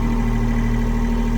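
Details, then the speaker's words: Sailboat diesel engine restarted after cleaning water out of the fuel filter, run to burn water from the lines: steady even low thrum with no misses; smoke from the exhaust gone, running normally. "Okay, so managed to clean the filter out, turn the engine back on to try and burn out the water that was in the lines. At least it's working, there's no smoke coming out the back anymore."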